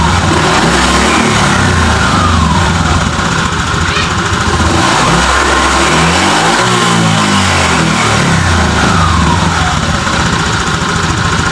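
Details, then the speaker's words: Honda Vario 125 (old) after repair and ECU reset: engine climbs and falls smoothly through throttle blips, no stumble or popping; engine fine on road test, CVT rollers suspected worn from jerking. "alhamdul ah setelah saya tes buat jalan untuk mesin semua aman"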